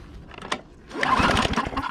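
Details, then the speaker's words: Murray 20in 4HP Quattro lawn mower pulled from the trash, with dirty fuel tank and oil in the cylinder: one hand pull turns it over with even, firm chuffing compression pulses. Normal cranking compression. "right, it pulls over. Sounds like it's got compression."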